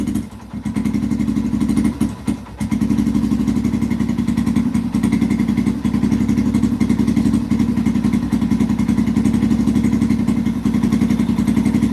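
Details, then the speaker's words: 2005-2009 Yamaha TTR-230 single-cylinder, carburetor suspected after an adjustment to one and a half, tank refitted: thumps about three to four per second, idle sags and stumbles, stays lumpy and low as if about to stall; only slightly improved, seems not getting enough gas. "it's still falling flat on its face holy cow what the heck did the customer do to the carburetor it's like it's just not getting enough gas"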